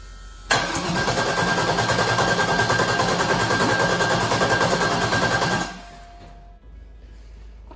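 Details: Rebuilt aluminum 5.3 LS, turbo, for a 2014 Dodge Grand Caravan rear-drive conversion, first start: starter spins it steadily at three-plus beats a second for five seconds, never fires; harness wiring fault. Crank, no start.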